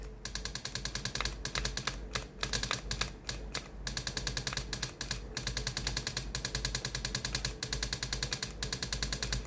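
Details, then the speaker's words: Philips GC7620 steam iron, hot soleplate, steam button pressed: rapid steady pump clatter about three pulses per second in stop-start bursts, but no steam comes out; pump replaced. "ตัวนี้ได้ยินเสียงปั๊มน้ำทำงานนะครับแต่ไม่มีไอ้น้ำออกมาในส่วนของตัวหน้าเตาเลยนะครับ"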